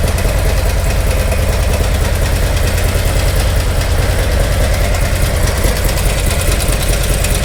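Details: 2018 Harley-Davidson Milwaukee-Eight, converted from 107 to 114 with a Screamin' Eagle Stage 4 kit: a loud idle with dense, irregular internal clatter. An early guess is a rear exhaust lifter or a broken valve spring, not yet confirmed.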